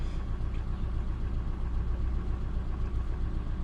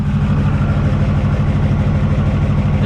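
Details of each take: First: Ford F450 after repair of misfires on cylinders 1, 2, 3, 4, 6 and 8; steady even low idle with no stumbles or skips, running cleanly on all cylinders. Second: Ford F450 V8 at an uneven, lumpy idle with a stumbling low beat about twice a second, missing on some cylinders. It is worse on rainy days. The owner suspects compression loss, not yet confirmed.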